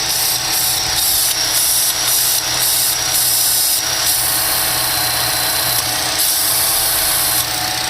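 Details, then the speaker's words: 2012 Chevy Cruze 1.4 L at idle: steady airy hiss from the PCV valve built into the valve cover that cuts in and out when the port is covered by a thumb, a vacuum leak through the torn internal diaphragm. "you hear that hissing that should not be occurring so what it is there's a diaphragm that's built inside of here"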